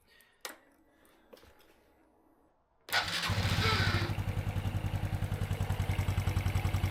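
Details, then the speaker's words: Honda Wave 110i project bike after a top-end inspection, clutch reassembly and an oil change for an earlier noise: catches cleanly to an even idle of three to four pulses a second, much quieter; the remaining ticking is the fuel injection; normal. "so the ticking noise you hear is actually the fuel injection system ticking the actual engine how that injection that's a lot better"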